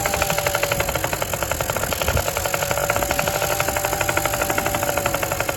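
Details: Honda NC50 Express 50cc two-stroke scooter running with a fast, buzzy, slightly uneven idle while the carburetor high- and low-speed screws are adjusted; mixture still off.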